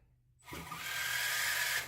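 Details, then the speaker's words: Redcat Gen 7 Pro fitted with an ECX Boost slipper clutch (ECX1024), backed off a quarter turn, tire held while throttle is slowly applied: about 1.5 seconds of whirring, buzzing slip with a thin whine, then a clunk; slipping as intended. "You can hear the slipper clutch slipping. That way, if my truck gets in a bind and I give it throttle, it's going to slip here. I'm not going to break anything."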